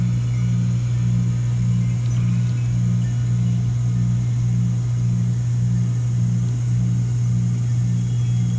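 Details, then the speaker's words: Ameristar heat pump after defrost control board replacement: the compressor restarts in heat mode after defrost while the fan spins down, with a steady low hum and a gentle throb a little under twice a second; it runs smoothly. "okay there comes the compressor back on rest you're only no fan it's still spinning to a stop and we should see this number start to rise see if climbing up"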